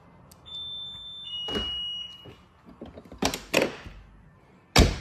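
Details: Lamborghini Murcielago after driver door lock actuator replacement: a couple of chime beeps, then crisp solid clunks from both doors locking cleanly, no buzzing or straining; actuators working properly.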